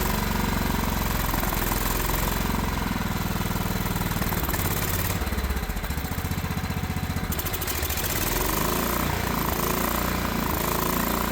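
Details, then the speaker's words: Old Craftsman riding mower engine with hydraulic lifters, after valve cover refit, governor reset and a borrowed spark plug, burning off oil smoke; it chugs unevenly at idle, stumbling and surging, still running rough. "Don't mind that smoke. It's just that oil burning off, but it's running now. Still pretty rough."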